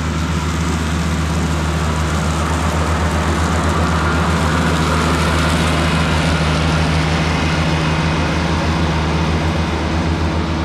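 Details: Cushman diesel front-deck mower, bought with a supposedly bad hydraulic pump, tires re-aired, mowing the yard: steady, even low diesel drone under load, no knocks or surges; it mows nicely.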